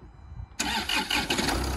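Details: Stolen, recovered 2015 Land Rover Discovery diesel, bought as a non-runner, first start after key programming with almost no fuel: a brief crank, then it catches at once and settles into a steady, even idle. A clean, healthy start.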